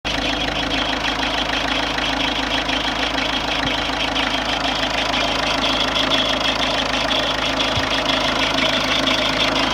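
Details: Ford Fiesta 1.4 TDCi diesel at idle: fast, faint, uneven ticking clatter over the run, source unknown; unidentified engine noise at idle.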